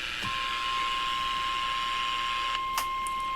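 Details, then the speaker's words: Elenco AM/FM 108CK radio kit, AM detector test with a 1 kHz modulated signal from an oscillator: a clean, steady 1 kHz tone over light hiss from an LED lamp. The demodulator works properly. "eu tô com um sinal aqui de 1 khz que é o gerado no meu oscilador eu vou desligar o sinal tá vendo ó então ele tá fazendo a detecção"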